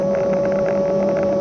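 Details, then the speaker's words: Kugoo S1 Pro electric scooter in third speed mode, riding up a slight grade at about 17-20 mph, camera mounted on front: steady high-pitched whine over wind and road rush; hub motor whines a lot, cause unclear. "you might be able to hear that motor it whines"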